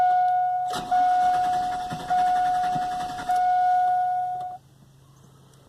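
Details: 2000 GMC Sierra 4.8L that starts cold but won't fire after running and being shut off; fuel is confirmed after priming: the starter cranks steadily for about four seconds under a dash chime and never catches; a crank sensor is suspected, not confirmed.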